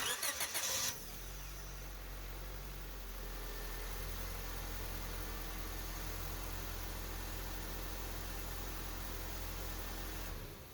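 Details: 2005 Honda Civic after starter replacement: a few seconds of brisk even cranking, then catches cleanly into a steady idle; new starter working, problem fixed.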